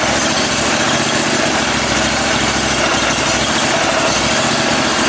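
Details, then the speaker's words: Cub Cadet Super 2082 lawn tractor (about 60-inch deck), sat at least 2 years: steady fast cranking that never catches; wants to start but gets no fuel, owner suspects a wire, to check with multimeter. "all right so we're not getting any fuel but it does want to start see can I keep it"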